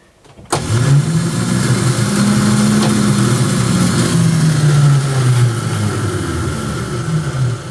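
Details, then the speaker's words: 1967 Dodge Dart, sitting over five years, first start attempt: the starter winds up to a rising, free-spinning whir with no cranking rhythm. It is not engaging the flywheel because a pin was wrongly removed from the starter; the pin should stay in. "guys should be able to hear that it's just kinda just seems like the start is just spinning and saw it like engaging don't quite know what that really means huh"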